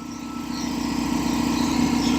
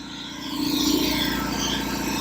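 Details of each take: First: Revived long-idle belt-driven air compressor on first run, pumping from about 130 toward cut-out near 135–140 psi: steady rapid pumping beat working slightly harder and louder; pressure switch works and pressure holds; normal running. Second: Revived long-idle belt-driven air compressor on first run, pumping past 120 toward 140 psi: uneven rattle riding on the steady pump beat about three or four per second; source unknown, pump a little warm afterward; no air leaks heard.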